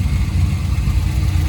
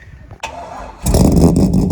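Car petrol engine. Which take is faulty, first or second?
second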